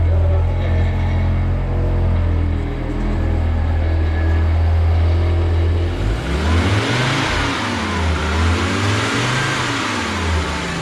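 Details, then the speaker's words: 1985 Audi Coupe B2 after cleaning and regapping plugs, setting timing, new plug wires, fixed firing order, fresh gas: idles and revs much better, with loose metallic rattle on the exhaust from a shot catalytic converter. "The rattling is the catalytic converter that's shot."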